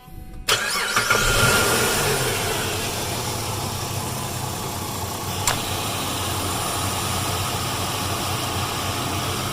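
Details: 2002–2007 Jeep Liberty petrol engine after replacing the bad belt tensioner that caused its knocking: it cranks, catches and settles into a smooth, even idle with no knocking or rattle.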